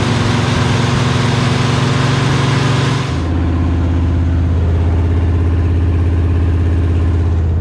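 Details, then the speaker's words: 1968 Chevy Bel Air small-block V8, first run after sitting 8 years, oil pressure around 30 psi at 2000 rpm. Deep rumble drops from fast idle to an unsteady, stumbling low idle; rough idle. "Let's see if we can get this baby to idle a little bit for us, huh? Oil pressure is around 30 psi at 2,000 RPM."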